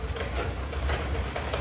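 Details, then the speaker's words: Sewing machine running: fast, even tak-tak knocking with every stitch over the motor's whir; oiling doesn't stop it; a worn rod in the needle drive is blamed, and it can break needles or skip stitches. "Machine కుట్టినప్పుడు ఇలా sound వస్తుంది కదా చూసారా ఎలా sound వస్తుందో మళ్ళీ"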